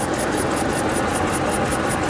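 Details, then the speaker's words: Government-auction 4.7 L V8 at idle just after start, check engine light on: quick regular high chirp about five per second, belt squeak suspected from the bottom pulley, not confirmed. "Check engine lights on, so we'll have to scan that and see what's going on there. Hear a little bit of a belt squeak."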